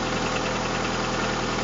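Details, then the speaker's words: Lada VAZ 2170 Priora, cold engine after standing, idling evenly with no vibration or metallic hydraulic-lifter tapping after oil change to 10W-40 with additive; later warm-up showed no noises, knocking traced to ignition coil, not lifters; normal cold idle. "двигатель работает Ровно Нет не вибрации и прочит немножко прогріється і будем делать виводи"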